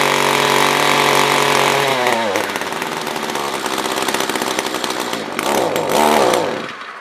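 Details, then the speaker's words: SRM-210 trimmer after carb replacement, during main/idle screw adjustment: holds a high buzz, then sags, surges and sputters before dying away; owner thinks fuel is below the fuel filter, causing fuel starvation. "ah we're running out of fuel i know what it is i think the fuel is lower than the fuel filter"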